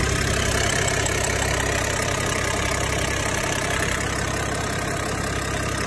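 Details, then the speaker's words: 6030 tractor diesel, first start after reconnecting the injector rubber hoses, checking for leaks. It cranks and starts right up, then holds an even idle clatter of about three beats a second with no stumbling or surging: normal idle. "go ahead and crank her over all right stop right up good time it makes you know that everything's on right and everything"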